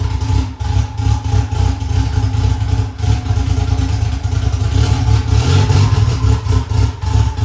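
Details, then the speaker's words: Honda S2000 2.4 race engine after rod bearing service following 5-6 months hard racing: strong even note, rising revs, smooth steady pull, no knocking or clatter; running healthy. "well that is going to do it guys we got our running good"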